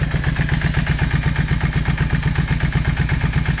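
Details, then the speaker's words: Yamaha 650 V Star V-twin, dusty after sitting, idling on choke: lumpy, loping idle with an even thump and a missing beat. Front cylinder not firing and barely heating; clogged carb idle jet. "You can definitely tell that that front cylinder is not running."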